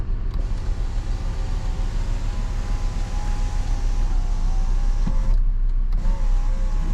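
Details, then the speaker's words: GMC with engine idling, not overheating, about 14 V battery and good oil pressure: sunroof motor gives a smooth, even electric whine, stops cleanly, then restarts briefly; sunroof working normally. "I think this could be a good seller so we'll see we'll see later this thing but sunroof Works beautiful"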